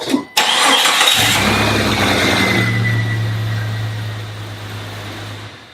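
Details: Jeep XJ 4.0L six with a P1391 code, first start after replacing the camshaft position sensor: brief crank, quick catch, steady even idle; a clean, healthy start.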